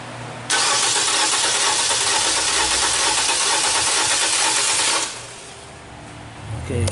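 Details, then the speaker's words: 2014 Nissan Versa, HR15 engine, cranking about four seconds with a hissy, uneven sound and never catching after the engine was power-washed. There is no spark and no crank signal, a signal fault. "so what I'm seeing here I'm not getting no spark I'm not getting no signal at all on so I'm not getting no spark I'm not getting no signal why is that it's not a power problem it's not a ground problem it's a signal problem"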